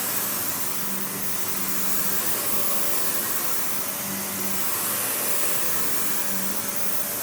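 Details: Panasonic upright vacuum, one of the last sold in the US market, with bare-floor switch, low-mounted power switch, auto height adjustment and brush roll that stops when upright: even high rushing motor whine, steady airflow, no rattles, squeals or speed dips; normal running.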